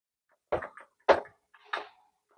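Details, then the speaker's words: BMW G-body turbo: four dull, hollow clunks as the compressor shaft is rocked by hand, showing axial and radial play from worn bearings, blamed on poor engine oil maintenance; clogged catalyst also discussed. "위에 소리도 나고 앞뒤 유격도 있고요. 상하 유격도 있고 물론 조금의 진 유격은 있어요."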